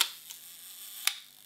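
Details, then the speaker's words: Used Leica M6 shutter set to one second and fired three times: crisp open click, then a clean close about one second later, not jamming open or closing early. Healthy slow shutter speed. "sounds okay do it again still sounds okay do it a third time still sounds okay you can't tell it's exactly a second but you can hear it's opening you can hear it's closing"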